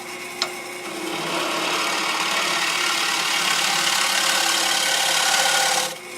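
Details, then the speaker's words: Woodturning on a lathe: steady, even hiss of the gouge in the solid, uncracked part of the wood for about five seconds, with no knocks or chatter; a clean, normal cut. "So this is going to be the good part of the wood."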